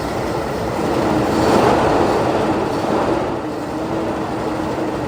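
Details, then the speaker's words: Ford EB Falcon farm car with a new coil and no fuel pump, fed fuel down the breather while cranking: a rough rumbling run settles into a steady pulse about four beats a second. The engine starts and runs. "there we go see the Run that's the right"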